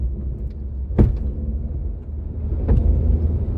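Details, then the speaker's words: 1999 Mitsubishi Pajero Pinin/iO driving after high-pressure fuel pump repair, heating up quickly: two sharp bangs about 1.5 s apart over low road rumble from the rear; loud clunk, cause undetermined. "yes so the car's running but as you can see it's getting pretty hot pretty quick and there's a crazy death noise coming from the back when"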